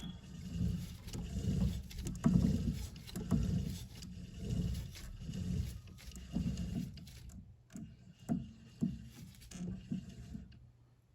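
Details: Western Tornado/Fisher Polycaster electric spinner, bearings just greased after sitting all summer: low, even hum as it turns, with some handling thumps at first, though a growly bearing remains audible; the spreader previously threw a CP fault code.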